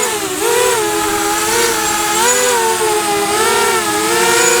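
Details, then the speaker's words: Diatone Tyrant 180 quad on 4-inch props with cheap motors: high buzzing whine rising and falling with throttle, rough raspy edge as the worn motor bearings make funny noises; motors due for replacement. "I haven't flown very many quads with 4-in props but yeah you can hear these motors how bad they are the bearings in them are just making funny noises"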